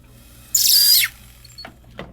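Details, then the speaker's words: Flexshaft burr enlarging a hole. A sharp, high half-second screech or squeak as the burr cuts dry because its lubricant coat has worn off. The cue to apply a fresh coat. "you see it or hear it start to squeak like that, that's time for fresh coat."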